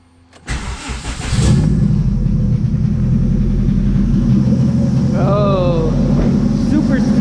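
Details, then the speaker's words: AWD hatch with distributor delete and custom sensors, stock P75 ECU base map, cylinder position code 9 cleared, on battery only with no alternator: cranks briefly, catches quickly into a smooth, even idle, no check-engine light. "smooth now. No check engine, nothing."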